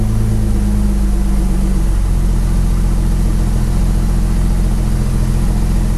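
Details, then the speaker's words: Porsche 911 Turbo 997.2 9A1 rebuilt engine, first start after rebuild: catches and flares, then settles into a smooth, steady low idle with an even rumble, no knocks or misses; normal idle. "all right let's try it again foreign there we go it's shot up right there okay okay"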